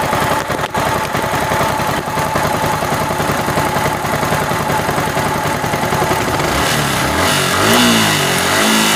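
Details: Yamaha R15 V3 BS6 motorcycle engine: steady quick firing pulse at idle, then a clean rise in revs without ticking or clatter; sounds even and healthy.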